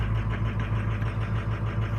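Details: 2005 or 2006 diesel truck, 104,000 miles, cold start: lumpy uneven idle missing on cylinders 2, 6 and 8; EGR suspected first, not confirmed.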